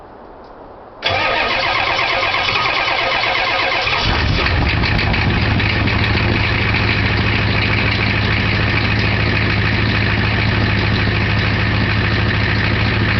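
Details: 1990 Ford F-250 7.3 IDI diesel with two bad injectors catches after a brief crank and settles into a rough, uneven clattering idle; misfire from faulty injectors.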